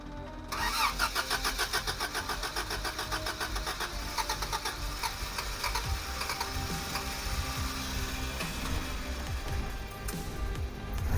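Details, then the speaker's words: 1984 Toyota Hilux 4x4 carbureted engine after new spark plugs and a new fuel filter, fuel system checked for leaks; it previously wouldn't idle long and shut down; brief crank, catches immediately, settles into a steady even idle; normal start and idle. "I'll just let it idle for a sec it used to um not idle for very long and then it would shut down"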